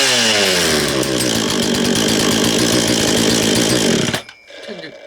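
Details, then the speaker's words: Husqvarna 236 chainsaw, previously taken apart after chain stuck in a log, has good compression: crisp even two-stroke buzz revving cleanly then cutting off, like a little dirt bike; normal running. "Tell you what, it sounds like a little motorbike. Sounds like a little dirt bike, that does, doesn't it? Good quality."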